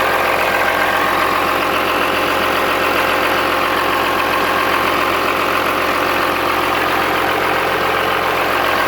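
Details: Cummins-swapped squarebody Chevy diesel truck idling after installing dual plastic fuel tanks on a single filler neck; steady, even clatter with no stumbling or surging, not lacking fuel, though it later chugged to a halt and the owner wonders about fuel supply.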